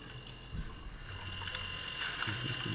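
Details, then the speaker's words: The electric coolant pump on an AWD 4-rotor RX-7 gives a steady whine over watery gurgling as air purges from the cooling system. The pump is not meant for pressure and strains, then smooths as pressure relaxes. "it sounds so different it doesn't it obviously there's air running through it but I wanted you guys to hear this it's a whole point of this build one of the biggest problems with this pump is that it's not meant for pressure"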